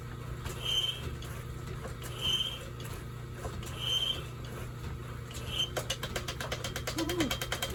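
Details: Restored 1930s Excelsior 2A power hacksaw cutting: slow, steady strokes about every 1.5 seconds, with a short squeak on each pass and an even rhythm. Saw is cutting normally.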